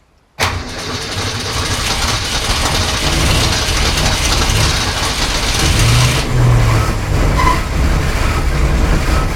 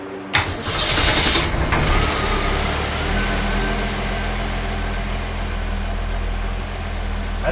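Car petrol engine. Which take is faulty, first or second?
first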